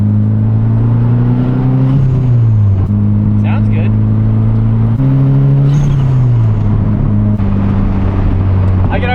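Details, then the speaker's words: Fully built SR20DET S13 with fresh engine and Garrett 3076 turbo on first drive after dyno (443 HP at ~15 PSI), coolant 172°: strong note climbing smoothly, dropping at each shift and pulling again; clean, healthy under load. "already tell that like when this thing was running my Dodson, it didn't even run this good like just driving around."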